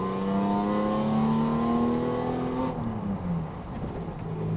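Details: Renault Avantime 3.0 V6 with ceramic clutch and lightened single-mass flywheel: smooth tone climbs steadily as revs build, then drops away cleanly when the throttle is released; healthy, free-revving V6.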